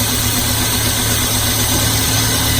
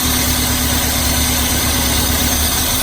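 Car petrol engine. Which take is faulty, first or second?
second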